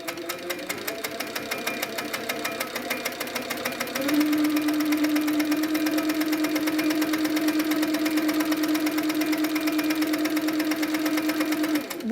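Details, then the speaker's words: Handi Quilter Sweet Sixteen with pink top thread and black bobbin thread during a tension check. Fast, even needle ticking over a steady hum, no thumps or catches. No pink shows on the back, so tension is good. Normal stitching. "actually that tension is really quite good I can't see any pink coming towards the back of the fabric so my tension's great"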